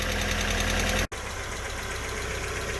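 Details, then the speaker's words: Alfa Romeo 145 after restoration, cold idle warming up; light quick ticking about four per second from the top end, a sticking hydraulic lifter that went quiet after about five minutes of warm-up. "The little tick that we had from the top end was just a sticking hydraulic lifter, and that is uh nice and quiet now."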